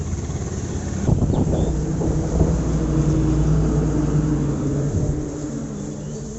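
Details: Honda CB Trigger motorcycle idling: a few uneven ticks and a brief rev, an irregular rattle over the rumble; abnormal engine noise, cause unclear.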